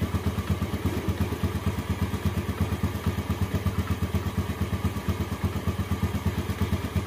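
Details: Steady clatter, roughly three knocks a second, at cold idle on a 2014 Yamaha Jupiter Z1; first suspected from inside the engine, actually traced to breather hose choked with dirt and water.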